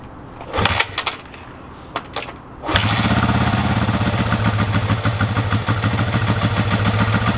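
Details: Vintage Honda CB350/360/450-family twin just fitted with Shockwave electronic ignition, started on choke: a few clunks, then it catches and settles into an even steady idle with no misses; running well.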